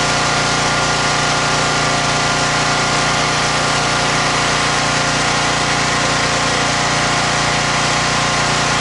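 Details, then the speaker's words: Champion generator found at dump, 885 hours, first run after sitting, steady high buzz with constant drone, no load yet; smoked heavily then cleared after minutes, owner suspects leftover oil from being tipped or rolled; rough running after revival. "wow that thing smoked a lot but it did clear up after a few minutes so I'm thinking uh could just be for me tipping it up"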